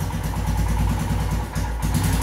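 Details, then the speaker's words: Royal Enfield Himalayan with throttle position sensor deliberately unplugged: single-cylinder thump sags and stumbles briefly under throttle before picking up again; hiccups, sometimes dies, erratic even at full throttle. "bike is again showing signs of hiccups and even dying out sometimes so if you give full throttle it would still a bar it will still somehow manage like this but it would be erratic"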